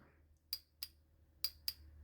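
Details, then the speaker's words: Motorcycle fuel injector off the bike, wired directly to a battery via a switch on the positive, before cleaning test: four sharp metallic clicks in two pairs as the injector opens; normal injector clicking. "vous entendez, c'est pas le bouton hein, qui fait clic-clic. C'est l'injecteur."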